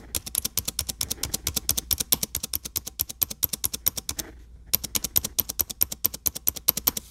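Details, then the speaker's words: Dell XPS 9570 laptop, microphone near the keyboard: fast repeated spacebar presses, each a sharp click with a thin squeak on the right side that doesn't happen every press; squeaky spacebar being diagnosed before the fix. "what's going on guys we got the XPS 95 70 here and I will be attempting to fix my squeaky space bar"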